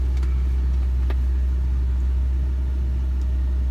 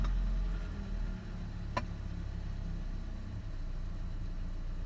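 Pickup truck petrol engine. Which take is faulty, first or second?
first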